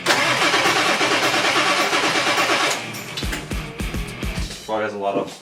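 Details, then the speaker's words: 1997 Ford 7.3 Powerstroke diesel after replacing O-rings on all eight injectors: first start attempt with injector harnesses reconnected, slow labored cranking with even compression pulses, no start; lots of air in the system, battery possibly running low, later starts. "air in the system oh yeah lots of air hope there's enough battery that all"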